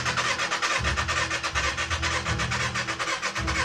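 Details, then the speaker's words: Wrecked 2013 Kawasaki ZX6R non-runner, unknown mileage, hot-wired, with artificial fuel added. Starter churns in repeated bursts, about two pulses a second, but the engine never fires: crank, no start, because there is no spark. "But no matter how many times we tried, the bike wouldn't start. We're throwing in artificial fuel, but we're not getting the bike to start because there's no spark."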